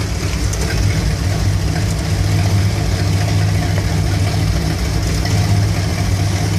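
Warm V8 idling with a low, slightly uneven rumble that wavers now and then; a rough idle whose cause isn't pinned down.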